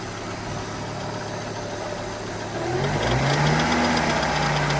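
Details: 1995 Volvo 850 2.4 petrol idling with a deep knock growing louder with revs: rod knock on cylinder 3, where the bearing shell had twisted 90 degrees out of position.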